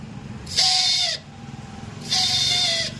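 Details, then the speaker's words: TVS Victor 3-valve motorcycle with a noise on self-start; one-way clutch and starter gear checked fine: two short, shrill whirring bursts as the starter spins, from a worn starter motor armature and brushes. "So motor தான் வந்து உள்ளே வர அந்த ஆர்மிச்சரு இதெல்லாம் வந்து brush கிட்டு எல்லாம் வந்து போயிருக்கோம்"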